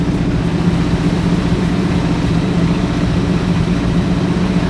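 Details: Sixties Ford Galaxie with a small-block V8 (289, possibly a 302), carbureted, warming up after revival: steady, even idle running noticeably high with no misses or knocks; fast idle, timing suspected too advanced, carb secondary adjustment also being set.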